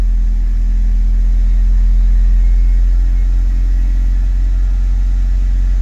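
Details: Mitsubishi Lancer Evo 6 TME after correcting incorrectly set balance shaft timing: steady, even low rumble with no knocking or shudder; engine vibration sorted, running smoothly.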